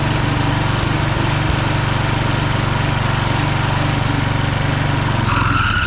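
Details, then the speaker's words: Husqvarna HU 625HWT four-stroke string trimmer, before repair, which turns over extremely hard: steady low chugging at fast idle, then the note sags and dies away once the string head is engaged; engine bogs under load, cause not yet found. "Alright, while the oil's draining in my pan, when I engaged the string, it did not like it."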